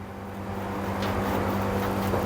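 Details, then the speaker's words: LG commercial dryer after replacing damaged drum rollers: new roller spun by hand gives a low, steady hum with no grinding, knocking or abnormal noise. "now see it's not making any noise abnormal noise I can use this one now"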